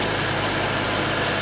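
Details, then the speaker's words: BMW 535i xDrive after PCV diaphragm failure repair (valve cover replaced) and battery replacement with registration: smooth steady idle, former hissing/whistling and rough stumbling gone, starts without lag. "this car is running perfect I don't even have to look at it you sounds smooth"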